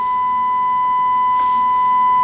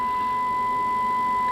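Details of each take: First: Kenwood TS-950S transceiver whose main receiver has an intermittent fault: a steady 1 kHz, 5 kHz-deviation test tone at 300 mV input comes through only faintly over hiss, and the S-meter barely responds; receiver insensitivity. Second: Kenwood TS-950S transceiver with an intermittently dead main receiver, DSP unit unplugged: clean, steady 1 kHz tone from a 1 µV FM test signal at 5 kHz deviation, well above faint hiss. Normal receiver sensitivity restored without any repair.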